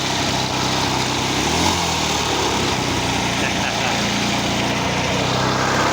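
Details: Vintage Maryland reel mower repowered with a lawnmower engine remounted upright, giving a loud, even note at constant speed with no misses, knocks or surging; healthy running. Owner says the drive pulley is too big.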